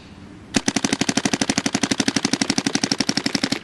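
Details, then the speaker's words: Dye DSR+ paintball marker efficiency test, tank down from about 900 PSI and getting real low: fast sharp pops about four a second, growing uneven as velocity drops and shot sound changes; marker running out of air. "You hear it? You can hear it changing right there. See if I one ball, boom, velocity is good, good, good, good."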